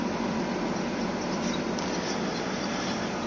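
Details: Outdoor unit of 2009 Samsung 9000 on/off air conditioner after burnt capacitor replaced, straining on very hot days: steady, even hiss and hum, no clicking, rattling or stalling; compressor running normally and compressing gas.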